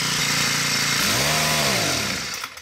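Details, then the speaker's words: New Poulan Pro PP428S string trimmer with PP5500P pole saw attachment, small two-stroke screaming up and falling back unevenly at full throttle; factory carb set too lean, high-speed screw turned in too much, starving it of fuel. "basically what the problem is the high speed screw which is on the top here is turned in too much so when you go full throttle it's not getting enough fuel it's running too lean"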